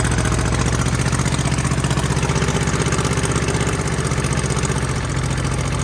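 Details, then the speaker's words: Mid-1980s Kubota B7200 subcompact 3-cylinder diesel tractor just cold-started at about 15 degrees ambient after glow plugs, no fuel additive: loud rough idle with steady hard clatter about four per second, typical old-diesel cold clatter. "Old diesels are pretty noisy whenever they first start up in cold weather, like the clatter."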